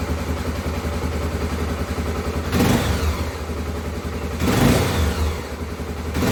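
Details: Honda CBF250 single cylinder after replacing an intake pipe that had a vacuum leak with a new OEM part. Ticks over evenly, then picks up cleanly through several throttle blips with no stumble. Normal running.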